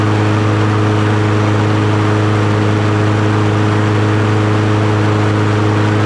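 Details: Troy-Bilt TB110 push mower, Briggs & Stratton 550EX, after oil change, new plug, blade and fuel tank, carburetor cleaned: smooth, steady drone at about 3100 rpm with no misses, surging or knocks; runs healthy.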